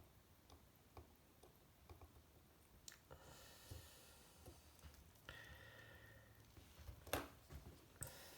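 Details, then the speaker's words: Vintage Cadola manual-wind mechanical watch during reassembly, after fitting bridges and screws: faint crisp ratchet clicks in short runs as crown is turned in quiet room; winding works normally. "Well, that's winding now."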